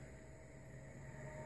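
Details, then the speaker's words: PC graphics card with mouse pointer trails enabled in Windows, moving the mouse on desktop: steady low fan and power hum, the high-pitched coil whine previously synced to cursor movement now gone. "and you don't hear anything anymore"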